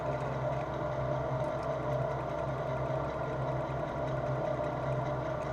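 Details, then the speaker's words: Lathe on three-phase motor with variable-speed drive, switched into back gear at lowest setting, about 300 rpm spindle: low steady hum with light even whirring. Normal running at low speed. "donc là je mets stop je passe en volet donc là attention de pas faire n'importe quoi donc là ma plus basse ça va être ma plus basse vitesse de de volet donc"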